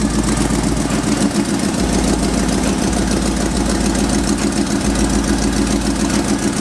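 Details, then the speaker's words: 5.3 Silverado V8 after eBay header install, idling in the cold: rough uneven puffing tick about three per second; exhaust leak suspected near the passenger side collector, not confirmed. "We got an exhaust leak somewhere, passenger side collector maybe."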